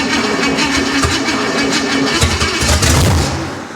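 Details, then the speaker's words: Junkyard Chevrolet 305 V8 with no exhaust, first start: slow, uneven cranking at about four turns a second with a strained, dragging starter that labours hard before the engine catches. "evaporate this little starter's not happy"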